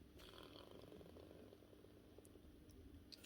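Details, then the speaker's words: Broken cordless Makita saw, motor bearing turned slowly by hand gives rough irregular clicking and gritty rattle; both motor bearings worn out and armature rubbing the stator, needing new bearings and stator packing. "so that bearing has gone you can see she's rubbing here to this bearing's actually gone too you can hear that sort of clicking noise on"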